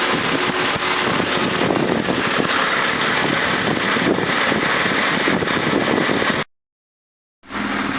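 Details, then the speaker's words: Series 1 Jaguar XJ6 with twin SU carburettors, no choke, stone cold on a freezing day after a water pump and thermostat replacement, thermostat not yet open. Steady, even idle with no stumbles or misses; idle is perfect, timing possibly a little too advanced. "um idle's perfect probably got the timing a little too advanced but we'll see"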